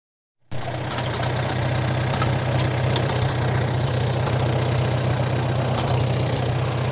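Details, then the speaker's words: 1947 Farmall M on its first start after sitting all winter on almost year-old regular pump gas (not non-oxy) with water in it: catches at once into a low, uneven idle with irregular stumbles and knocks. Rough running from water-contaminated fuel. "i left it in there all winter as you can heal as you can hear it's still running quite rough"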